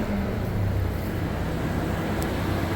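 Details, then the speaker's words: After clearing codes, with misfire fixed: low steady idle rumble with no stumble or miss; engine runs evenly and sounds healthy. "right, she sounds good. So let's go for a ride."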